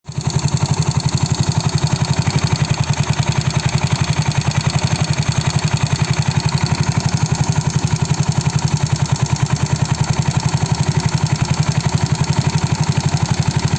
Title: Mio Sporty Piston slap noise